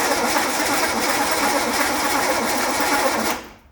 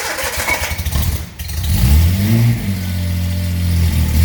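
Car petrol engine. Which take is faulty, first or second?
first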